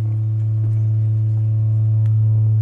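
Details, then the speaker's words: MBL 101 E Radialstrahler speaker woofer (melon range 105–600 Hz) playing a 109 Hz test tone after repair; steady low tone with a faint buzzy edge, off-centre voice coil rubbing, before centring it via the Allen adjusters. "I've got a slight buzz to it, right? And this is one of the advantages of this setup is that it allows me to actually center the voice coil while it's playing."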